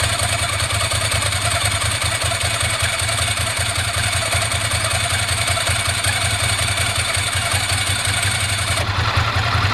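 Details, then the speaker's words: 1998 Ducati ST2 V-twin after new open dry clutch and plates, fuel pump, HT leads and spark plugs: even idle with light dry rattle that changes as the clutch lever is pulled; normal dry clutch rattle. "Ticks over beautifully now. You can hear the clutch when I pull in the clutch."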